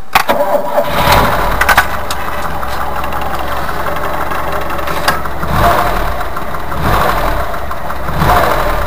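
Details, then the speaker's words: VAZ 2104 classic engine after the timing chain damper (tensioner guide) was replaced. Catches quickly and settles into a steady idle with no chain slap, ticking or rattling: normal start and idle. "вы слышите никаких посторонних шумов нет всё прекрасно"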